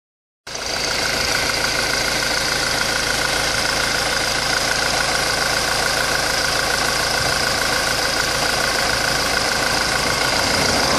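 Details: 2004 Honda 2.2 diesel after a timing chain job: engine idles and revs with a steady high-pitched whine over the running noise.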